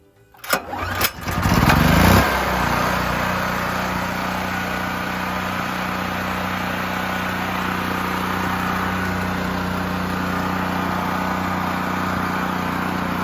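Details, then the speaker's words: Generac GP6500 generator, under two years old, after a non-start was fixed by sliding a rod back into place and refitting its nut: one pull catches quickly, revs up, then runs steady and even with no misses or tapping; normal start and idle. "the power went out on this day for a scheduled maintenance for 7 hours and the thing ran flawlessly"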